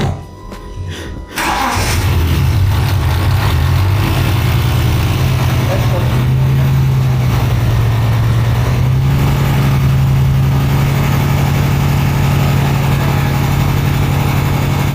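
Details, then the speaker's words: Turbo project car first fire-up: catches after cranking, uneven lumpy idle with stumbling beat and stutter; misfire because one injector clip was not connected. "The injector clip isn't on it."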